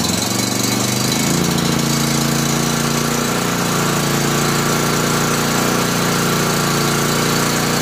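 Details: Honda EB5000 generator with Honda 11 HP engine, just after a carburetor swap: catches and settles into a steady, even run with a constant hum, no knocks or misses; healthy.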